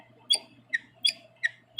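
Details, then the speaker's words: Wall switch in use about 15 years: five sharp high chirps about 0.4 s apart as it is worked, while the fan switch beside it is silent; owner suspects a defective switch. "and here's the other one that's for the fan it doesn't do it and that leads me to uh believe there's a defect if it's bad"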